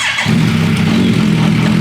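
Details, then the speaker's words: Suzuki Bandit motorcycle engine, long-sitting donor powertrain for formula car, fresh oil, code light on, coolant leak: starts instantly, then busy, lumpy, uneven idle that later smooths out; rough running after start, cause unknown. "Yeah, it starts right up, dude. Definitely doesn't run great right now."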